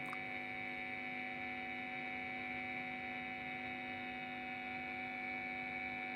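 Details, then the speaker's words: Budget 9 V guitar effects power adaptor (about 9.28 V output) plugged in under noise test, measured 42–50 dB: constant low electrical hum with thin buzzy edge; noisy adaptor. "Langsung kita colok. Terdapat suara yang mencurigakan."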